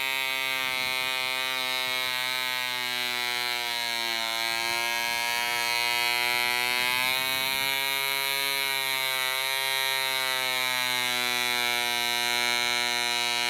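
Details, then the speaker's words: DC Spitfire 1cc model diesel on an 8x4 prop, D2000 fuel: high buzzing pitch keeps wandering up and down as the loose needle valve rotates with vibration and the compression screw winds itself out. "The needle valve was a little bit loose and started rotating with the vibration, and as you could see all through the film, the footage, the compression screw was just winding itself out"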